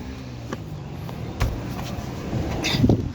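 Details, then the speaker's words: 2022 Hyundai Grand i10 Nios petrol with engine vibration complaint, idling with AC compressor on and radiator fan motor disconnected: quiet steady hum, few light clicks, no shudder. "చూడండి friends vibration రాలేదు చూడండి ఏసి on లో ఉన్నది. చూడండి ఏం vibration రాలేదు."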